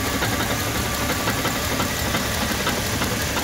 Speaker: this stuff when it's worn down can uh cause some little rattling in your engine and if it's bad enough it could cause that knocking sound like the rod knock that we heard in Tommy's Jeep when we swap that motor